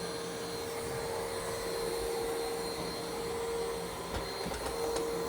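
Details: New iRobot Roomba Plus 515 vacuum-mop combo cleaning a messy floor in back-and-forth straight lines, first of two passes: even steady mid-pitched hum with faint whine and occasional floor bumps; running normally.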